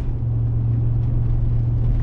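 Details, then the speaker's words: Chevy Tahoe off the gas while driving, after front differential rebuild: deep steady whirring drone that changes with speed, exactly the same as before the rebuild. "after rebuilding the DIF it's doing the exact same thing I don't know if you guys can hear it get off the gas here same kind of whirring changes with speed noise that was doing before"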